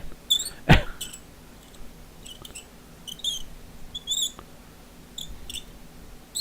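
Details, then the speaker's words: Bakelite phone rotary dial, badly corroded and spring possibly gone: short high-pitched squeaks in bursts each time the dial turns; dry, corroded dial mechanism squeaking badly. "this is one of the worst Dales for corrosion I've ever seen and I think the Spring's gone in it as well can you hear it squeaky"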